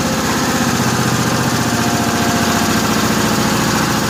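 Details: 1955 Cushman Truckster after the fuel line was blown out with a long nozzle, idle setting unknown; even, steady single-cylinder putter with no stumbles, knocks or surging, no smoke, quiet through a homemade EMT-conduit exhaust: healthy, settled idle.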